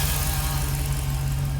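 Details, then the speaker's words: 2006 Jeep SRT8 6.1 Hemi, high mileage, P0305 cylinder 5 misfire after new coils, plugs and injector rebuild: V8 idle during warm-up now smooth, deep and even, no shake or shudder, misfire count falling. "You can visibly listen and hear the engine. Much smoother. There's no shake, there's no shudder"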